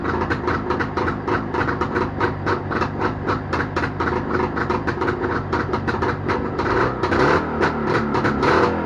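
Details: Jawa motorcycle two-stroke engine started after repair, popping along at a fast, slightly uneven idle and staying running; normal running.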